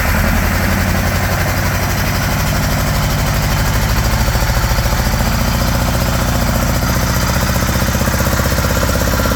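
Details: 1975 Honda GL1000 Gold Wing flat-four, first start after water pump gaskets and O-rings replaced (earlier start leaked coolant from weep hole): smooth, even cold idle, a bit high with choke on; no leaks, much less smoke, sounds good.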